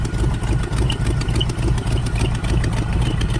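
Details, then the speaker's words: 1980 Camaro Z28 junkyard car, V8 with headers, little throttle, nearly out of gas: lumpy idle with quick, uneven ticking puffs about three a second; suspected header/flange gasket exhaust leak, possibly a slight miss or cam. "Exhaust leak. Header leak up here. I hope that's just a header leak."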